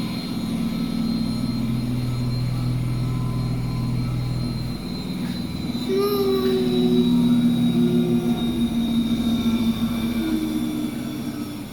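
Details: Basement washing machine during spin: heavy low rumble and roar, with tones climbing as the drum speeds up. Loud rumbling during spin, cause unclear.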